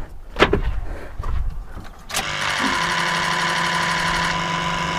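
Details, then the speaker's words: Ford 6.0 Powerstroke diesel (2003–07 truck), key-on injector solenoid buzz: some handling clatter, then a steady, even electric buzz with low hum, no skips or delays; healthy injectors. "I'm going to turn this on you're going to hear all the solenoids buzz on these injectors all at once they should Buzz all and it should all they all should sound really really good"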